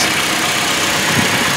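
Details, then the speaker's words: Toyota Tacoma just after an oil change, idling at about 1000 rpm, oil pressure light out: steady, even petrol idle with smooth hiss, no knocks or ticks; normal idle. "we're up nominal idle at about a thousand rpm oil pressure warning light has extinguished everything sounds normal and that's good"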